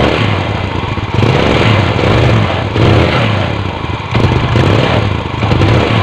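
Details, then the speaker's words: Yamaha New Vega R hard to start in the morning, weak pull: engine runs with soft, breathy, slightly uneven note; carburetor found dirty, before carb service. "Nah untuk suara sedikit ngempos ya Masbro untuk mesin Masbro nah ini ngepost Masbro bukan robot kalau debet atau gitu ya Masbro"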